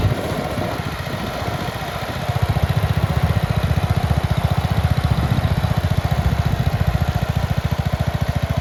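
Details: 1962 Bolens Ride-a-matic tractor small single-cylinder, first start after restoration work with some choke; even steady fast-idle thumping, crisp regular firing, no misses, runs clean and healthy.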